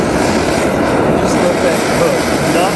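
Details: MSR XGK expedition stove burning white gas, pump-pressurised, after priming: steady, even, loud hissing roar with no sputtering or surging; burner running cleanly at its high, barely adjustable output.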